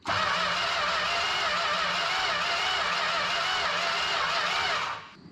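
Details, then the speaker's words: 1977 Dodge Charger Daytona, barn-stored since 1992, Mopar electronic ignition: starter whirs steadily about five seconds with wavering pitch while checking for spark, but the engine never fires; no spark, coil found loose on intake, cause unconfirmed. "it does not so uh I'm guessing I'm guessing somebody's been here before cuz the old coil shouldn't just be flopping around on the intake"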